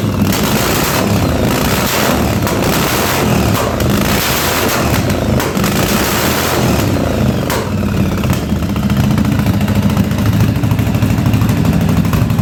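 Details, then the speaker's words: 1983 Yamaha Virago 920 barn-find V-twin, first idle after the spark plug was replaced, with fuel leaking. An uneven, lumpy idle that stumbles and recovers, with some clatter; the front cylinder is cutting in and out, and the owner suspects fuel. "that front cylinder I don't know if it's the fuel or what but it's the front cylinder is kicking in and out there a little bit"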